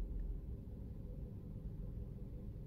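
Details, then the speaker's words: 2009 Toyota Yaris, 178,000 km, steering wheel turned about 10° each way at idle: even low idle rumble with no loud dull knocking from the front end; steering rack sounds tight, normal. "enggak ada bunyi dug dug dug kencang ya Hai artinya Ni mobil aman"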